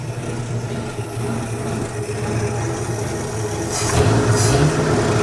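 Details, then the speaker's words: 1967 Ford F-100 with 240 six, first run after sitting 30+ years, tuned-up non-leaking carburetor, no muffler: loud, raw unmuffled idle running steadily, picking up smoothly with a throttle blip; no misfires or knocks, healthy. "low there we go yeah this thing's running pretty good now remember this doesn't have a muffler so it's a little bit loud"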